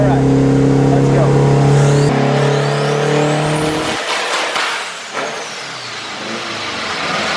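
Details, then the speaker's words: Honda K-series all-wheel-drive Civic on dyno, second tuning pull: hard steady high-rev drone under load suddenly collapses into a ragged run-down; threw a connecting rod at 164 with gauges reading fine. "Something's not happy. Yeah, that's a problem. Yeah, that's a problem. It chucked a rod."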